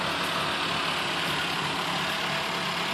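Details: Mercedes-Benz Cosworth cold start: smooth, even idle with a steady hiss, no knocks or misses over several seconds; normal cold idle.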